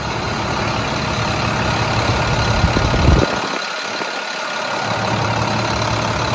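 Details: Rebuilt 466E diesel truck at its first start after the rebuild, now running: deep, even idle with a steady beat and no knocks or misses, and a brief dip midway. Otherwise it sounds healthy and normal.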